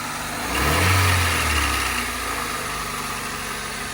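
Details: Honda Civic, first run after RTV and an impromptu gasket: steady idle with a brief mild rise in speed settling back to an even rhythm; healthy, no leaks seen.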